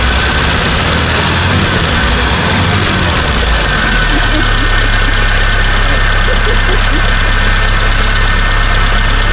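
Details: 1975 Chevy Vega started after sitting for years, running on a makeshift external gas tank: an uneven, lumpy idle with an irregular low thump over a steady drone. Rough idle.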